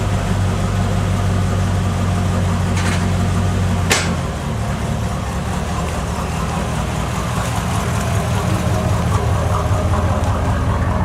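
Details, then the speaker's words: 1986 Cadillac Cimarron 2.8L V6, arrived by tow, before its major tune-up: an uneven, lumpy idle stumbling about 2.5 times per second. Misfire because newly replaced plug wires go to the wrong distributor cap terminals. "he first thing we notice is somebody has replaced the plug wires on this car so we know that because these are all nice and gray and pretty and new looking but they ain't going to the right plugs into the distributor cap because that's why it's misfiring and stuff"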